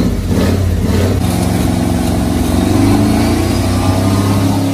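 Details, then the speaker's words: 1979 Ford engine running on seven cylinders with a dead plug wire, being driven to self-destruct: rough revving with wavering tones and an uneven, strained note, a strange noise whose cause is unclear. "Теперь она должна сама взорваться. Ну, пошли. Какой-то странный звук."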